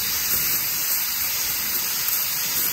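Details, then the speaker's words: Goodman heat pump, outdoor coil pressurised with nitrogen to almost 250 psi: a steady, hollow high hiss from inside the coil; a refrigerant leak, later brazed. "I don't know if you can hear that but I hear a hiss we're at 250 wow almost 250. I hear the sound somewhat here so we're gonna see if we can locate it"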